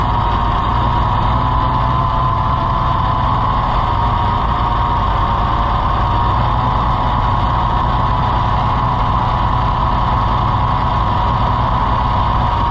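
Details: Farmall IH 560 tractor that stopped running after the owner changed the timing, thought to be flooded before it started; a steady, heavy idle with a slightly uneven beat underneath. Suspected miss, cause not pinned down.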